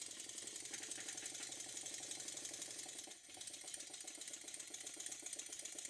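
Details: Stuart model steam engine after a very fine adjustment to cure a slight knock from one cylinder: light, quick, even chuffing about four beats a second with steady rhythm; running smoothly on low pressure.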